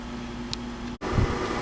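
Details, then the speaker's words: Englander wood pellet stove in startup mode, blower motors just kicked in: steady low whirring hum with an even airy rush, no rattle or scrape; normal blower operation, though owner finds heat output low. "So, as you can hear, the blow motors have kicked in. The panel is still showing it's in the startup mode."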